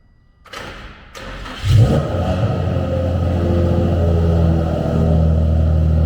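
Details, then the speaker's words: Nissan 350Z DE race car after installing Tomei Poncams and refitting the fuel pump fuse: a couple of cranks, then it fires right up, quicker than in a long time, and settles into a steady, even idle with no misses or knocks. Normal start and idle. "Guys, the car fires right up. The car fires right up. It has not started that quick in forever, so that's really nice."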